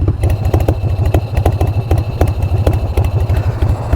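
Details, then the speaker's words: Motorcycle with open primary at idle: loping, uneven potato-potato thump about three beats a second with a light shh-shh belt hiss from the open primary; healthy carbureted V-twin idle. "Love it. Listen to the sound of the open primary too. It's got that shh, shh, shh, shh, shh, shh, shh."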